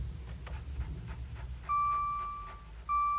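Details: Maserati Ghibli instrument cluster, key-on via start button: quick dry ticks from RPM and mph gauge needles, then two steady warning chimes; low battery voltage warning shown; cause unknown, needles return to normal afterward.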